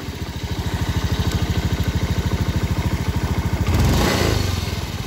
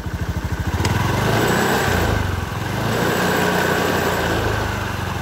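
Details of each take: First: Honda Beat FI scooter, throttle twisted at standstill: a steady rapid "srak-srak" rattle about three times a second that rises with throttle, traced to a worn bearing in the CVT belt-drive cover. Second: Honda BeAT FI scooter with a rough "srak-srak" noise from the CVT, engine run with the CVT cover off: revs smoothly with no scraping rattle, showing the noise came from the CVT bearing, recently replaced with a non-original plain bearing; normal running.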